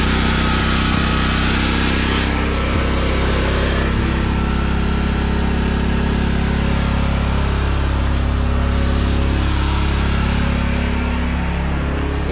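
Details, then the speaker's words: Bus RV generator with new 5.5-9 psi fuel pump plumbed directly to the fuel tank (wouldn't run on 1.5-3 psi pump): constant, even drone with no hunting or sputter; running cleanly after fuel pump change. "let's see if the generators needle valve can handle at counter pressure oh that sounds so much better"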